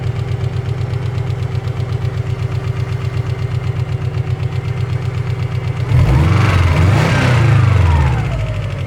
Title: стук на холодную